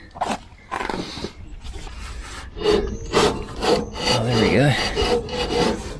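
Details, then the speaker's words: MTD ride-on mower, sat outside five years, blade spindle nearly seized and turned by hand: rough, dry rasping grind in uneven bursts from very dry, worn blade spindle bearings that need oil. "spinning now very dry bearings if we get some oil in there it's gonna be a hell of a noisy"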